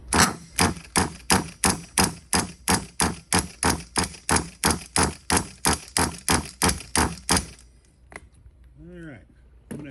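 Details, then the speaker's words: Hobao Hyper ST nitro truggy, engine at 133 degrees with glow driver on the plug: about three even pull-start strokes a second with no firing or catch; cranks but won't start, owner suspects insufficient fuel and primes the tank. "I'm going to go ahead and prime the tank because I don't think we've got all we need to make it happen."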